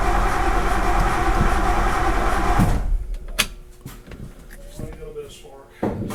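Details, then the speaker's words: 1964 Ford Galaxie 500, sat 15 years, battery hooked up: quick, even cranking about four beats a second, then it stops without firing. It was getting fuel but no spark; suspected dead condenser in the points ignition. "yep sounds like it so we were getting fuel didn't seem like we were getting any Sparks"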